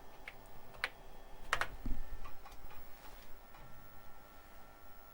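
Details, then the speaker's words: Tandy 1000HX with a modified standard replacement floppy drive reading the directory and running check disk: quiet irregular ticks and short buzzing seeks; drive reads smoothly, healthy. "I hear it doing stuff. Clicky, clicky, click. Yes, it's working."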